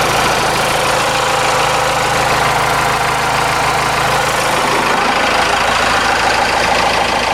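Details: Cummins 4BT four-cylinder turbo diesel, about 71,000 miles, idling outdoors after fuel filter change and air filter wash: steady, even clatter with background noise; good oil pressure, normal idle.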